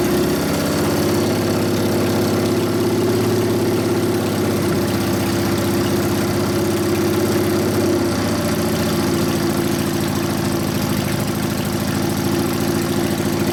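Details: 1999 80ci Evo V-twin, first start after rewiring: loping uneven idle, wavering rhythm and pitch, sagging and stumbling; idle mixture 2.5 turns out, owner suspects lean, wants bigger low-speed jet, suspects accelerator pump dry. Lean rough idle.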